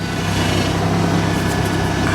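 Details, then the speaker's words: 1997 Toyota 4Runner idling right after power steering fluid top-up (leaking system): faint high whine over the engine note; pump whine confirmed as power steering, improved after refill but still not sounding good. "And that definitely is power steering. Wow, that pump sounds... It does not sound good."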